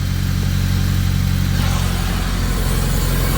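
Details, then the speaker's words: Track car after loose oil filter and sandwich plate were retightened: oil pressure present, burning off spilled oil; steady even engine note with slight speed change, no knocking or clatter, running normally. "We have oil pressure. Looks okay. Just burning off some oil here."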